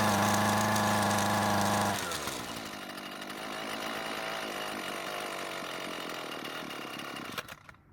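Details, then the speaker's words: Husqvarna trimmer with original carb after adjustment tips: buzzes steadily two seconds, then bogs, sputters and dies, won't stay running; stalling from fuel starvation, L screw to be turned a quarter turn counterclockwise for more fuel. "now it's not wanting to stay running so I'm going to adjust the carb to deliver more fuel to the engine by turning the L screw at quarter turn counterclockwise"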